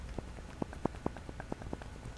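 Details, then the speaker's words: 2007 Maserati Quattroporte, old lower shock bushing damaged by failed strut, rocked by hand: string of light, sharp knocks from heavy play that adds clunking to the shock's; replacement bushing ordered. "there's a lot of play and that will make a lot of clunking on top of the clunking that this shock was doing"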